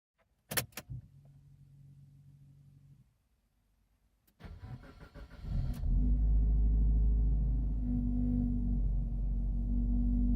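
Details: Maruti Ritz automatic on cold start: rough, gritty grinding while cranking before the engine catches and settles into a rumbling idle.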